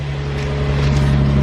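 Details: Infiniti G35 V6 after replacing ignition coils and spark plugs for a P0304 cylinder 4 misfire: even, steady low idle with no stumble or rhythmic miss, running cleanly.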